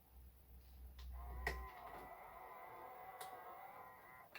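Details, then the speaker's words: Used eBay camcorder, tape transport pressed into record: sharp clicks, then a thin motor whir for about three seconds before another click; the mechanism won't latch into record and records nothing. Cause not confirmed; the owner hopes running it will help. "set record going and we've got nothing okay so record going it doesn't want to"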